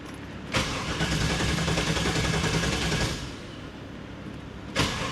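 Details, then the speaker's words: 1995 Pontiac Firehawk, 5.7 LT1 with T-56, sat over 10 years, exhaust off: after briefly running it quit; starter cranks rhythmically about two and a half seconds without catching, pauses, cranks again; owner suspects something shorted out. "What is going on here? Okay, that's strange. We had it fired up and then it just quit."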